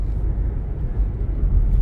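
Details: Mazda CX-5 2.0 on test drive after injector replacement cured cylinder 2 misfire code P0302/P2302: steady low engine drone under road rumble, no stumble or hesitation, smooth even running.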